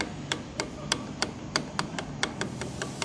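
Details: 160 motorcycle single-cylinder engine idling: sharp metallic ticks, about three to four per second, over a low rumble; cylinder head noise traced to play at the rocker arm and valve clearance.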